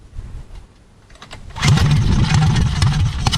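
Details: Heathkit Boonie mini bike with Predator/196cc-212cc-type single, Stage 1 kit, Mod2 cam, 22lb valve springs, outdoors in wind: brief pull, then catches and settles into a quick, slightly lumpy idle; starts and runs fine.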